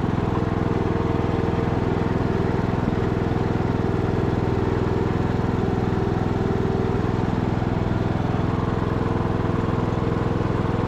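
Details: Abandoned MTD Bolens riding mower revived: single-cylinder engine restarted after fuel valve was found off, blades engaged; steady, even beat at constant speed with no misses, knocks or surging, running super smooth and healthy.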